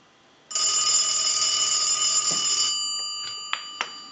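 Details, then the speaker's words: Brass elephant telephone in its final checkout after repair, with ringing one of the original issues, picked up through an amplifier: a bright, even metallic ring for about two seconds that stops cleanly. Normal bell ring. "we're going to ring the telephone a few times we're going to let that ring a few more times since that was one of the issues"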